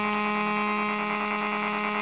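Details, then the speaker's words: Homemade AM transmitter modulated at about 485 Hz, heard on a radio: steady buzzy tone with a faint pulsing flutter behind it; peculiar second oscillation, nearly gone when fully tuned; source unclear, possibly external or the astable multivibrator. "now there is a a pecul oscillation I hear sound oscillation um at the back of the Bas Stone of 485 Herz"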